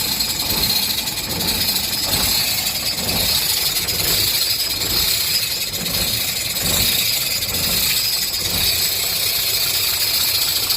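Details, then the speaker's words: Diesel truck engine idling with a sharp light chik-chik ticking noise coming from the front side of the engine. "आवाज़ कुछ इस तरीके की है, चिक चिक की आवाज़ कर रही है।"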